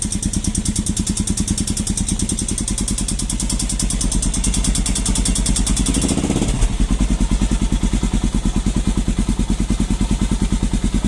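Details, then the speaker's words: Falcon motorcycle single-cylinder engine at cold morning start: even, rapid clatter riding on each firing pulse that fades once warm; mechanic says it is normal compression-valve noise. "levei no mecânico e o mecânico me falou que aquilo era normal Aquilo é a válvula de compressão que tem na no motor da"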